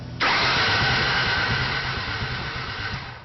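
Starter whirrs briefly, then the engine catches and settles into an even idle that tapers off; starts normally.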